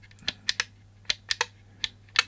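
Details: Wi-Fi controlled UK USB socket outlet during teardown: crisp paired relay clicks each press, no chatter or buzz, toggling cleanly; USB and electronics stay powered permanently.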